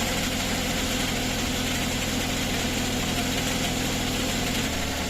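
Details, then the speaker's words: Suzuki DA64 with automatic transmission at idle, recorded from underneath: steady low drone with a rough scraping undertone like something catching or a bad bearing; starter tested fine, owner suspects the transmission and plans a fluid and filter change. "Ayan, lumabas na 'yung ingay niya no. Parang may sumasabit sa ilalim or sirang bearing na tunog."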